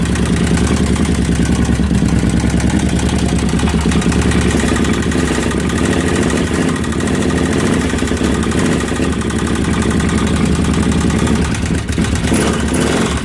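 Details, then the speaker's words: 2005 carbureted Kawasaki Brute Force V-twin that tried to start but wouldn't run because a stator for a fuel-injected 2012 was fitted; after the correct part went in it fires up and runs with a loud, steady, even beat and no misses or knocks. "well there you go guys it uh it did fire up so that was it that was the problem because it was made for a different circuit and it wouldn't want to run right"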